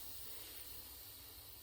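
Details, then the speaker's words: Pressure canner about 40 minutes off the heat after canning tomatoes, gauge removed: a faint, steady airy hiss with no rhythm means a tiny bit of pressure remains, so it is not yet safe to open. "But I'm just going to take the gauge off again and just check that the pressure is all the way down. Still a tiny bit of pressure in there."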